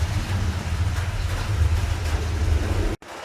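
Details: Proton Saga Iswara rolling after replacing worn rear spring perch: only a steady low road rumble, no knock or thump from the rear; clunk gone, suspension quiet.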